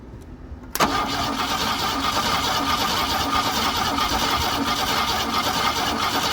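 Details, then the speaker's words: GM Andino truck with a swapped-in Ford V6 and a smoked Motorcraft Autolite carburetor, after sitting for years: the starter spins it with a steady, even churn but it never catches. Spark is unconfirmed and fuel delivery is suspected. "The carburetor is sketchy at best. Just got to make sure there's spark. Everything under here's smoked. But it's cranking right."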